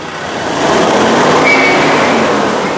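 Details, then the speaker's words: Ford Ranger 3.2 diesel revving: a thin high whistle rises above the engine when boost builds, found to be a leaking boost pressure hose. "a gente descobriu o qu que era na mangueira de pressurização do motor"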